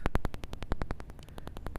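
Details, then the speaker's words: Land Rover Discovery 2 Td5 ES parking sensor, ear near sensor: rapid even ticking about ten clicks a second, a working sensor; used to find the faulty one, which does not tick. "But if you put your ear up against it, you should hear some ticking. That one ticks. This one ticks."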